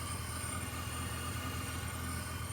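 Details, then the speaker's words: BMW E46 turbo build, first start with a jump pack: smooth idle with a steady high thin whistle. The source is not yet found; the owner suspects a vacuum leak and plans a smoke test. "Got a little like whistle there. I'm not sure what that's in regards to. We're gonna have to find that. But it is idling."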